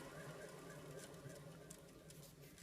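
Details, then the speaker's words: 2003 Mercedes-Benz ML350 (W163) remanufactured alternator, replaced within the last four years, spun by hand: low gritty whirring rumble, no shaft play; dry or rough alternator bearings suspected. "that doesn't sound so good there isn't any play in the shaft here but that sounds like dry bearings or some kind of bearing problem"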